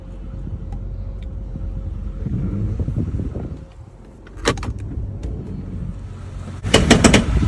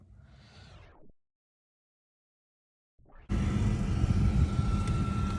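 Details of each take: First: 2004 Jeep Grand Cherokee under light acceleration: engine rumble with loud irregular metallic clacks in short bursts; owner, not a mechanic, suspects the transfer case drive chain is slipping or worn and needs replacing. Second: 2004 Jeep Grand Cherokee after replacing the slipping transfer case drive chain and refilling fluid: the engine starts and settles to a steady, even drone with no driveline clanking. Normal running, no transfer case clank.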